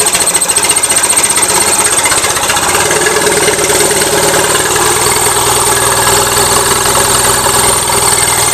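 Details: Gravely 450 with Onan CCKA twin, shroud off, steady idle with loose uneven tapping about three per second; running a little rich, owner suspects compression escaping or piston trouble, now doubting cam bearings; knocking noise.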